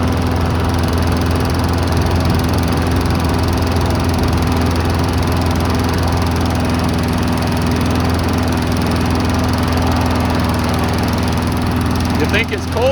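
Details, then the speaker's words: Abandoned Briggs & Stratton push mower, unused for years, started at about nine degrees Fahrenheit with the trigger taped down: a small single-cylinder engine droning with a slightly lumpy, unsteady beat and dripping black stuff from the muffler. Owner suspects junk in the carburetor. "dripping a little black stuff out of the muffler probably has junk in the carb give her a little shaky cheek"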